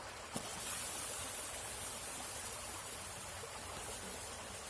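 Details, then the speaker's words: Maple sap wet/dry line: valve closed, then slowly reopened; the line fills slowly and a steady airy hiss is heard with no quick pressure build. Vacuum leak on this line. "that means there's a leak on this line."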